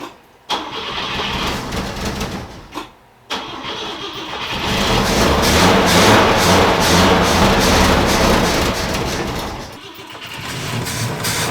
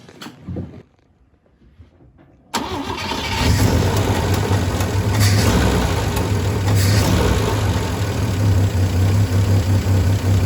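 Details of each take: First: Volvo 164 B30 engine, first start attempt since 1994 after a cleaning and oil change; oil pressure present, fuel leak noted, cylinder two plug found loose. Repeated starter bursts, then a longer crank struggling to catch. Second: Volvo 164 B30 engine, started after sitting since 1994, cleaned and oil changed, no choke, water pump not connected. Brief crank, catches at once, steady even idle with no knocking; healthy.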